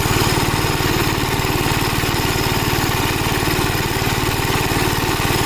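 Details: Gravely Model L tractor with governed single-cylinder engine, after replacement of a blown head gasket: crisp, evenly spaced beat held steady by the governor with no misses or knocks; runs strong, though an oil leak is still being traced.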